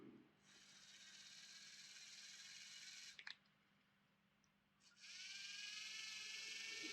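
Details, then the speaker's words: Lima Class 31 model locomotive motor bogie with gears refitted on silicone-greased spindles, run on a battery: thin, even high whir of motor and gears at steady pitch, no catching or grinding; sounds smooth. "That sounds quite smooth."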